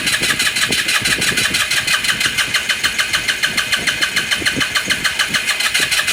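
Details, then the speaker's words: 2018 Lance Cali Classic 125cc scooter with spark confirmed; fast, even starter ticking about three per second with a tinny whirr, never catches. Owner says it is not getting gas. "did not getting gas all right you got to figure that out"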